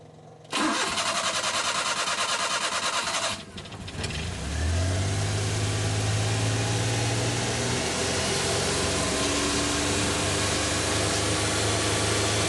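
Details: Suzuki Multicab with F6A carburetor 12-valve engine: starter churns evenly about three seconds before catching, then settles to a steady idle; long-crank hard start, base idle screw adjustment suggested as a possible fix, cause not confirmed.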